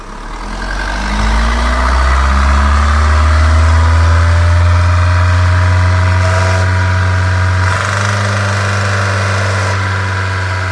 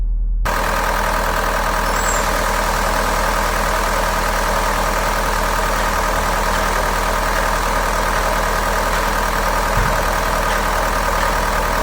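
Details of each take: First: Mahindra diesel held at 3000 rpm after a diesel filter change and fuel line cleaning, to bleed air out. Revs climb, then hold a strong, even drone without knocking or stumbling; smooth, healthy running after a missing and knocking repair. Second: Mahindra automatic diesel idling fast at about 1200 rpm, with an uneven, stumbling clatter and the check light on. A dealer had replaced one bad injector, but the misfire returned three to four days later. Diesel misfire at idle.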